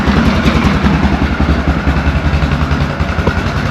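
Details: 2004 Yamaha Grizzly 660 ATV, just started after a no-spark diagnosis and a fresh oil change, left running to circulate oil: small single thumps at an even, settled idle with no knocks or misses; healthy running.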